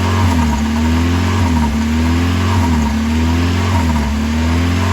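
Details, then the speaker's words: 1990 Mazda Miata: starts normal, then after running a while the high idle swings up and down about once a second, constantly hunting, even when driving. "It starts out normal, and then after it runs for a little bit, it'll start idling up and down."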